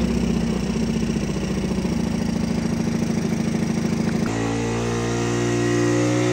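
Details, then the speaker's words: 1985 Honda ATC 110 single-cylinder, after the right fuel: idle stumbles, then runs away to a higher speed on its own and won't settle. The idle screw does nothing; intake air leak. "why breaking like that I don't know I don't like it like to run away that's weird the idle isn't doing anything"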